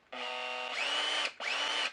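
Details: Makita LXT entry-level consumer drill driver, half-inch plastic chuck, two-speed gearbox, run on good battery while unboxing; clean high motor whine spinning up, holding steady, then a second short run, smooth and even, normal running.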